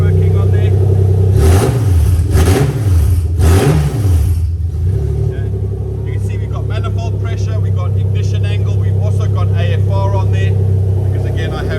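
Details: Toyota 1G-FE VVT-i in a Lexus IS200 on new ECUMaster Black harness: loud open-pipe bark, three crisp blips climbing and falling cleanly, then steady smooth idle; runs smooth, normal revving, both accelerator position sensors working.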